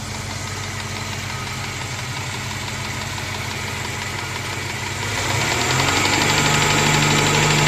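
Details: Moskvich 2140 engine at steady idle with an even, fairly quick knock of about 3–4 beats a second over the engine note; cause of the knock not yet pinned down.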